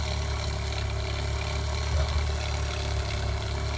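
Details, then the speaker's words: Fresh water pump in a 1995 Damon Intruder RV, tank a third full: steady low motor drone running slowly and continuously without cycling off or building pressure; no leaks found, owner suspects an inlet air leak, pump later replaced. "I don't know if you can hear it it's just running kind of real slow like it's trying to get some pressure built up but it just runs and runs and runs"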